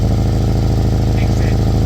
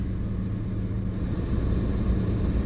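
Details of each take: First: Old Kia Soul idling after rotted exhaust pipe replaced: fast even puffing beat over the exhaust note from a small leak at a bracket; could be fixed with a piece of pipe later. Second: Old Kia Soul, idle after replacing rotted exhaust pipe that was horrendously loud: steady even low rumble, no puffing or ticking, exhaust leak barely audible; good enough.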